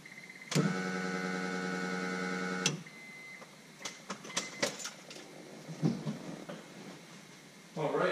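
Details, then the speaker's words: Walbro aftermarket fuel pump just installed in a turbo Honda Accord, fed through a new relay with thicker wiring for alternator voltage: sharp relay click, then a smooth, even two-second electric hum as it primes; pump sounds healthy, no leaks seen. "sounds pretty good. That pump sounds very healthy. And we're getting good fuel pressure, I think."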